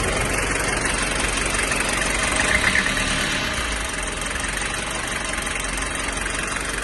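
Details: 1995 Toyota Hiace 1KZ-TE diesel with white smoke at idle: rough idle with uneven knock about three times a second, sharper early then settling; owner unsure whether timing, fuel or valve problem.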